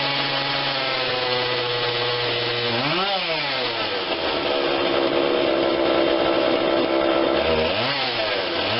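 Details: Husqvarna 142 40cc chainsaw, cold start on choke only (no primer bulb), before carb tweak: uneven idle with sudden rev surge and dip twice in nine seconds; stumbling idle, slight stall heard, carb to be adjusted.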